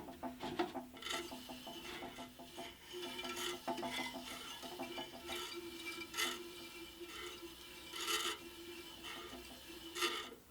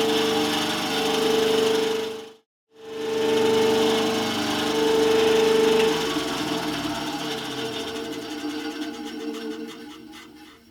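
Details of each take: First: Scheppach HBS20 band saw, unplugged, wheel hand-turned while adjusting a new blade's tracking and bearings: irregular soft rasping scrape every second or two; suspected to be the brush rubbing the blade, not confirmed. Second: Scheppach HBS20 band saw on its first powered one-minute run after a blade change and tracking adjustment, door closed: a steady, even hum at one constant tone with no knocks or scraping, then a smooth wind-down. Normal running.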